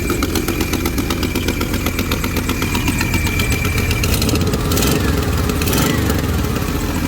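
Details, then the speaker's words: Idling engine with a rough, uneven puffing tick about four a second plus a whistling noise; owner suspects the previously replaced rear exhaust gasket has blown again. "sounds like that rear gasket might have blown out again um which is kind of annoying because i had it replaced once already"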